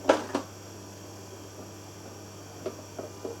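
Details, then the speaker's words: Bernina 1020 sewing machine that needed on/off switching for the foot pedal to work and began running slowly on its own: low steady hum with faint clicks, motor stays on with switch off; pedal dead, circuit board fault suspected. "oh no, it won't turn off now, and the foot don't work. There's a new one. Turn it off. The switch is off."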